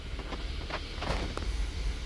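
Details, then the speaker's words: 2015 Kia Sorento 3.3 GDI V6, bank 2 misfire traced to lazy O2 sensor: after repair, warm idle 10–15 minutes, steady low rumble with no stumble; misfire index 0 on both banks, previously cylinder 4 or 6 usually misfired first. "Okay, we got the engine warmed up now. It's been sitting here idling for about, I don't know, 10-15 minutes. The misfire index is showing completely at 0 on both banks."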